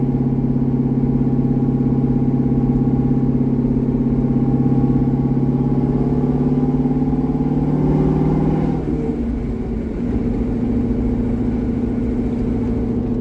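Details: C6 Corvette with aggressive camshaft and long-tube headers on a revised HP Tuners idle tune: steady deep V8 idle, then a smooth drop in pitch as revs settle, no stumble or hunting; running cleanly, idle tuning about 80% done.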